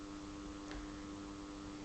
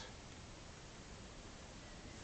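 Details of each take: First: Tempest TEQ-3302 radio cassette on mains power with volume turned right down: low, steady mains hum, absent on battery power; traced to an open coupling capacitor at the amplifier input, which was replaced. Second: Tempest TEQ-3302 radio cassette on mains power after repair, volume at minimum: only a faint steady hiss with no hum. The low-level hum was cured by replacing a faulty coupling capacitor.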